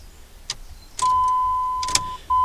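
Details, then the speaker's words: 2003 Dodge Ram 1500, non-runner, battery terminals cleaned, fuel pump running: key turned gives a couple of clicks under a warning chime, then no crank, and the check engine light flashes. Owner suspects a jammed starter or solenoid, or ignition electrical fault; unconfirmed. "all right this time i'm hearing a click that's maybe a good sign no click that time nothing i get nothing so maybe we have a jam starter maybe with a jam solenoid maybe it's an electrical problem in the ignition system"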